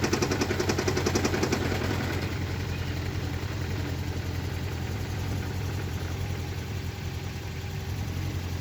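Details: Toyota Prius Gen 2 cold start after standing one month: fast even rattling ticks for about two seconds as engine fires, fading into steady low idle; startup rattle.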